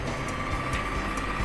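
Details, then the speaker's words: 18-inch fan repaired for not spinning, with a blown fuse bypassed and the motor found very hot; after reassembly, running on speed 1 with a steady, even whirr and no knocking or scraping, strong and running normally. "ก็มีแค่เบอร์1นะครับแรงมากนะสำหรับพัดลม18นิ้วนะครับ"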